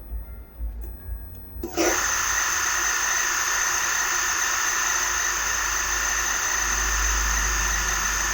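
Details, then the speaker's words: Megmeet Mite-series inverter AC outdoor PCB, quick-started with the blower running and the outdoor fan relay on: a click, then a high electronic whine and faint hum, but the compressor never spins up and an error code appears. "तो देखा आपने कि compressor जो है वह start नहीं हुआ लेकिन आवाज करने के बाद बंद हो गया और इसमें एरर जो है वह क्रिएट हो चुका है"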